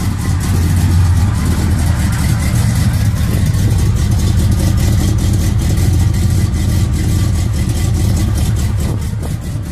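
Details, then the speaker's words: Owner-built engine in a 1969 Chevrolet Impala with fresh heads, cam and gear-to-gear timing chain, plus a new 350 transmission with shift kit; carburetor self-adjusted. A deep, loping, choppy idle from the big cam, steady and strong with no knocks or ticks. "Just wanted y'all to hear it, man. Cam, you can hear that cam though."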